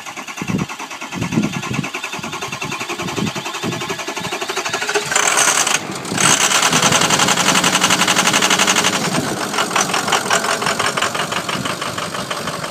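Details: 2004 Ford 6.0 Powerstroke diesel truck, turbo coupler replaced: long labored cranking before catching, then uneven shaky clatter that never settles; hard start and rough running from a few bad injectors.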